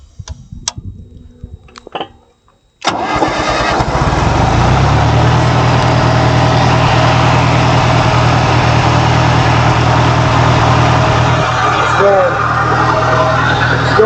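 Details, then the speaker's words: 1959 John Deere 1010W backhoe loader in 5th gear, rear wheels raised and fronts blocked. It cranks and catches into a steady loud run with a rapid even beat, dragging the driveline in gear: stuck clutch not releasing. "It's going forward, it looks like it's going backwards in the saddle. This wheel doesn't do anything. And we can't stop it."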